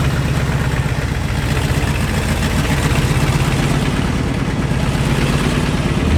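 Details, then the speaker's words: Second-gen diesel truck at idle: a loud, steady idle with a rapid puffing chuff on each firing pulse; a big exhaust leak from rotted, cracked headers, and the whole exhaust needs an overhaul. "o as you guys can hear the exhaust on this truck is well it's less of an exhaust and more of just a big exhaust leak"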